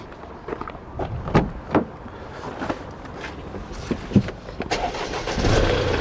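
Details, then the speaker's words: 2011 Kia Rio 1.1 three-cylinder diesel: uneven, lumpy idle with irregular thumps and shaking, unresponsive to throttle; stored code P2454 for the DPF pressure sensor control circuit, sensor under test; running rough. "working at this 2011 1.1 Kia Rio Diesel it sounds a bit rough running and I'll just let you have a listen to it quickly"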